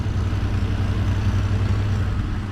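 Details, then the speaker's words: Car idling after a screwdriver-and-vice-grips start, steady deep rumble with faint rough puffing from a small exhaust leak somewhere underneath; leak suspected, exact spot not found. "Had a little bit of an exhaust leak under here somewhere. Probably hear it."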